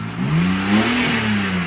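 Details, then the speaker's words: 2006 BMW 325i, previously a no-start with crank sensor unplugged and replaced, idling then given a throttle blip; revs rise and fall smoothly, no surging, exhaust sounds fine, louder at front than back: healthy engine, normal throttle blip. "That's smooth. That sounds good, dude. And the out the back ain't so bad. It sounds good too."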